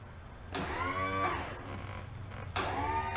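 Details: 1990 Bass Tracker boat outboard, sat 10 years, after reattaching a broken wire: two clean electric whirs with a steady motor tone winding up and down; the power trim works, though the owner suspects a relay on the motor is acting up.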